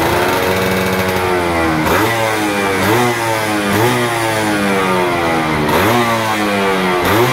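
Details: Stock F1ZR 110 two-stroke after fitting a new carburetor, which cured bogging at full throttle. Crisp revving rises and falls cleanly through repeated blips with no stumble or bog, pulling freely and healthy.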